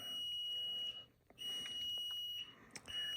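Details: Basement with a newly installed system tied into existing ductwork with a whole-house filter, beside a unit showing two flashes and an alarm: shrill, long high beeps with short gaps. A cutoff valve is seen off, and the fault is unconfirmed.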